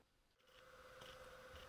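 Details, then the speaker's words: Sony FE 50mm f/2.8 Macro lens hunting focus: faint buzzing, grinding, clicking and scraping with a thin steady tone, known for this lens; normal autofocus motor noise. "this lens is known for its distinctive autofocus noise you could hear the buzzing the grinding the clicking"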